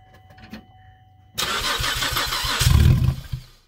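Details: Car that would not start because of a clogged, broken-up catalytic converter, now running with the catalyst removed: a quiet lead-in, then it catches sharply, blips up loud and raw through the open exhaust, and runs before shutting off.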